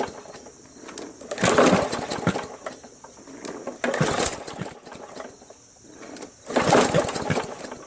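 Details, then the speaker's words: MTD Yard Machines 20" push mower, Briggs 300E, long stored in garage, primed: three pulls give brief sputtering gurgling bursts that die, won't catch; owner first suspected timing/sheared keyway, then found water in carb bowl and gas tank. "that's why there's water in tank that's why the gurgling I recognize the gurgling its water in the tank that's water h2o"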